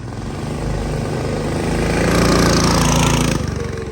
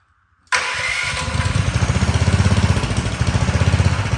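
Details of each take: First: Big block mini bike with new exhaust on first test ride, under load; single-cylinder revs rise then turn ragged and uneven. Breaking up; float height needs adjusting, carb tuning needed, owner suspects it is flooding itself. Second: Big-block engine mini bike with a single-sided swingarm and new exhaust, first start before its test ride: the starter whirs briefly, then the engine catches and settles into an even, steady single-cylinder thump; sounds good, a normal start and idle.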